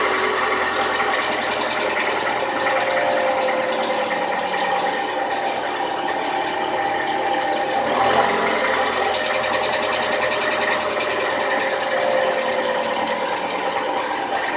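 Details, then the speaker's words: 2015 Toyota Camry cold start: petrol engine idles with a faint, uneven tapping knock that quickens with revs; cam gear rattle or oil pressure bleed-down on cam timing suspected, not confirmed. "That light knock coming through, and then as I rev it up, the knock gets corresponds with that rev. Big issue."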